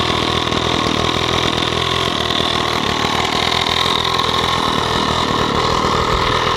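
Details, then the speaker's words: Stihl 045 AV chainsaw, first run after a new piston and rings, with the clutch missing: a steady, high-pitched two-stroke buzz at an even speed with no misses or surging. The engine runs cleanly and healthily. "this saw has a brand new piston and new rings in it that's the first time I've heard it run"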